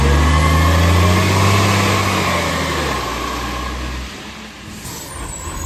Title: Monash Green Waste #2648 (Exhaust Leak)